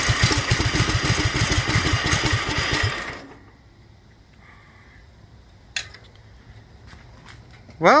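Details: Duromax 18hp single-cylinder engine with an upgraded intake and air filter, after the idle screw was turned up and the choke opened with a little throttle: fires unevenly at low idle for about three seconds, then stalls.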